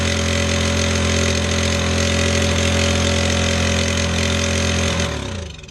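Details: Scrapped lawnmower single-cylinder engine, rerun with the throttle lever clamped open: revs steady and even for five seconds with no misses, then winds down cleanly when shut off; healthy running.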